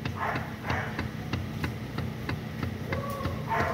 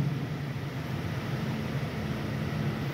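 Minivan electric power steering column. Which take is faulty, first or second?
first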